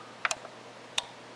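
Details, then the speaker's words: Integra (Onkyo-made) DTR-50.1 receiver with no sound, powered up on the bench. Two quick crisp clicks, then another about two-thirds of a second later. The standby and speaker protection relays pull in normally; the unit is not in protection. "you hear two clicks you hear the standby relay and inside this unit hiding down in here there's another pair of relays that's the protection speaker relay see listen"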